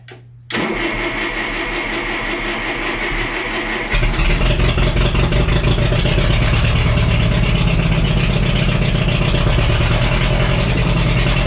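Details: Cheap $200 forklift after ignition work, distributor cap refitted: cranks about three seconds, catches, then runs with an uneven, stumbling beat instead of a smooth idle; a cylinder missing from a bad plug.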